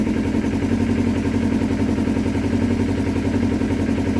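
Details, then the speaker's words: 2012 Kawasaki Ninja 250R right after reinstalling the carbs, on a gravity-fed test tank, airbox off, started without choke: steady, even twin idle at about four beats per second with no hunting; normal idle. "sounds good perfect idle didn't have to use any choke just going to let it run for a minute"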